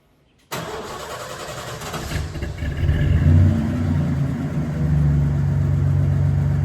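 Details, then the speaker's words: Truck engine with suspected worn tune-up items runs rough: cranks, catches and settles into a lumpy, uneven, loping idle after power steering pump filled with Mercon V and injector cleaner added to 5 gallons of gas; owner suspects it needs a tune-up. "Before we drive, it's uh running pretty rough. It probably needs a tune-up."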